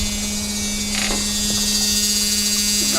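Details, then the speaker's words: Super Air Nautique wakeboard boat with PCM inboard engine on a water hose, before a new XT alternator test: steady, even low hum with no pulsing or dropouts, showing water pressure is present; normal. "humming noise so we got water pressure next we're going to test this new XT alternator and see if it does with the advertised"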